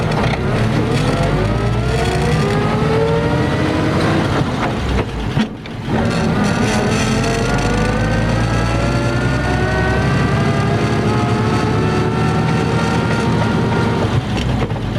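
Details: 1950 Ford F2 pickup, 4-speed spur-gear non-synchro crashbox, double clutched with some bumped shifts: whine rises with road speed in each gear, drops at each shift; normal straight-cut gear whine.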